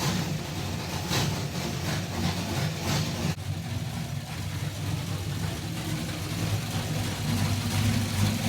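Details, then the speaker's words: Kyle Petty No. 44 race car V8 with a new ignition and a water pump fix: deep, steady, loping idle rumble with a brief throttle blip; healthy and even, 100% better than before. "that sounds 100% better but still sounds like a dead stock 350"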